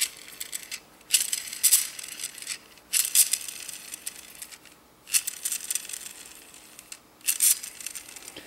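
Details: Small gearbox spun by hand: short bursts of light high whirring chatter, fairly smooth mesh after shimming and swapping in a different bevel gear, since imperfections in the old bevel made more noise.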